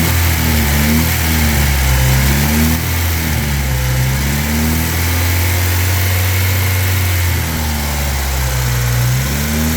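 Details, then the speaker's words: 1997 Honda Civic, 220,000 miles, burns oil, rod knock after running with only half a quart of oil: after the fix, engine revs up and down smoothly with no rod knock; lasting result uncertain. "But I don't hear the rod knocking anymore, so only time will tell, I guess."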